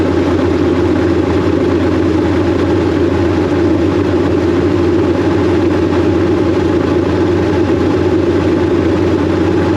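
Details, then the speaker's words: Chevrolet K5 Blazer V8 with big cam, newly fitted Holley Terminator X EFI using injectors from an E85 engine: loud steady rumble now firing on all eight cylinders, slight lope and odd idle while the ECU self-learns. "okay we definitely have all eight now uh weird with the idling but it's kind of doing the self-learn thing"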